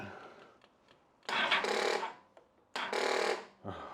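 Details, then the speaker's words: 1999 Yamaha R1, started after a clutch replacement and an oil and filter change. Two short, labored cranking bursts and it never fires. A weak battery is suspected; it needs charging or replacing. "bloody battery come on you bag of yep I bet I add a new battery to the shopping list"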